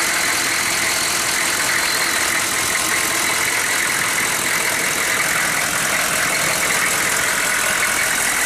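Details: 1994 Chevy 2500 6.5 turbo diesel, not a cold start (run 20 minutes earlier, about 70°F), lift pump now running, reportedly newer injection pump; busy, bright clatter at steady idle without hunting, stumbles or misses. Healthy normal idle.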